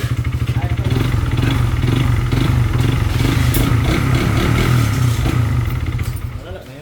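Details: Motorcycle at 21k on the odometer, well maintained by its owner: hard metallic knocking about three times a second, loud throughout while running. Diagnosed as connecting rod knock.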